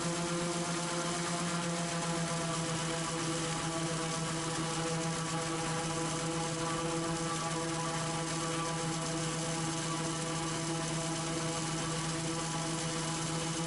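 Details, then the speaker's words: Raptor prototype aircraft engine with redrive and prop governor, run-up: loud, steady drone at one unchanging pitch, governor having pulled speed from 3300 back to about 3100 rpm and holding it; steady governed rpm. "so even though that gage is jumping around you can actually hear that the engine is fairly consistently set to about 3100 rpm"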